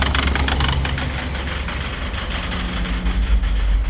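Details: Mazda BT50 / Ford Ranger diesel, hard starting with slow rail pressure build, idling with a hard rapid clatter about four knocks a second; bench test found cylinder 2 injector leaking and uneven delivery.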